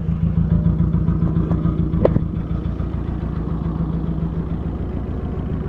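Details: 2003 VW Jetta 1.8 turbo, 174,821 miles: rough idle that thumps unevenly about twice a second with the engine shaking. It set codes P0341 (camshaft position sensor) and P0011 (camshaft angle); the owner suspects the cam position sensor, unconfirmed.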